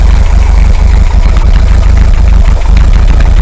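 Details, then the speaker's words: VW 2-litre air-cooled engine in a bus, 2000 km after top-end rebuild, warm with chokes opening, idling at 800 rpm: deep, loud, uneven loping idle, lumpy because vacuum advance is disconnected and carb port blanked. "Okay, give her a start up. Okay, running a little bit lumpily because we've got the vacuum off and all the rest of it."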